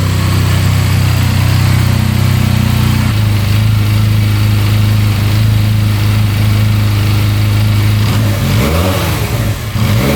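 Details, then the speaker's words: 2022 Benelli 302S after an instant restart: a smooth, low engine note that rises and falls cleanly with the throttle, with no knocks or rattles, running awesome. Normal revving. "It's running awesome. I don't think there's any issues with it at all."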